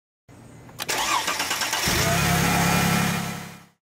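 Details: Mercedes-Benz W210/W220 (S500, S430 or E320): short crank, then catches cleanly and settles into a smooth, even run with no misfire; normal start.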